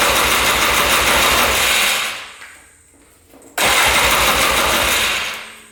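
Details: 2002 Polaris Scrambler 400 4x4 ATV, all original, choked on first start attempt; catches with a loud rough burst, dies within two seconds, fires again and fades; won't keep running; owner suspects low compression once oil left the cylinder.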